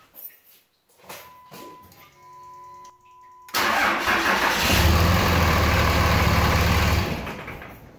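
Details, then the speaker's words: 5.9L diesel pickup started from a small 2p pack of SPIM08HP lithium pouch cells at about 12.5 V (clamp meter overloaded): short crank, catches within a second, settles to a steady even clatter. Normal start. "but it certainly did sound like it took quite a bit to start that motor"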